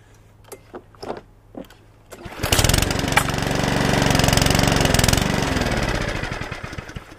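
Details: Mountfield 414 push mower with RS100 engine, missing parts, fresh petrol: after pull-cord tugs it starts but revs swell and sag instead of holding steady, hunting/surging; carburettor issue suspected, not confirmed.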